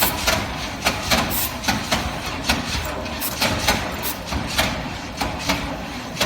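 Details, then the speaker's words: 1969 Chevy C/20 with 327, start attempt after 40 years: slow, heavy uneven cranking about once a second, spark present, no firing; starter labours as if compression can't release, later found exhaust kinked shut. "my theory here is when i crank the engine it seems like it cranks and cranks and then the starter is just working extra hard like it's like the engine's building compression and cannot release it"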